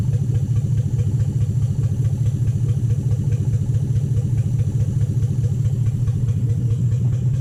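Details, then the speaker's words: 2007 Toyota Hilux Vigo 4x4 with a swapped 3UZ Toyota V8 and manual gearbox, idling after a suspected lost coil on one side was fixed, right-hand bank running properly: an even, steady V8 idle with a smooth low burble, no dropouts or misses. "so totally set right hand side running properly now that sounds good sounds lovely"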